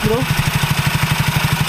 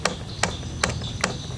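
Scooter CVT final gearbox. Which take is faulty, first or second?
second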